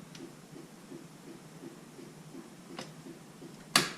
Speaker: Oh yeah. Yep. Sounds like a turn signal on.